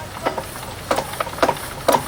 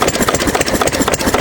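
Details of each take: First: 6 HP Witte diesel-electric single-cylinder engine, about 80 years old, hand-cranked with exhaust valve held open, after valve work, oil change and fuel system cleaning: slow thumps speed and slacken unevenly a few seconds, governor hunting before settling. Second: 6 HP Witte diesel, revived after 30 years with valve work, oil change, fuel-system cleaning; governor spring removed, so running about 300–400 RPM versus roughly 750 rated; slow, steady even chuffing, little smoke; slow idle.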